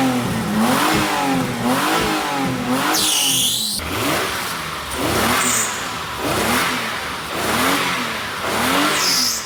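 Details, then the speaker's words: Engine after the blown exhaust was properly repaired with welded metal: deep note rising and falling with each throttle blip, no blowing or ticking leaks; remaining noise is judged to be the engine itself. "And with the repaired exhaust, I reckon most of the noise is the engine itself. You know, you just can't silence an engine that big."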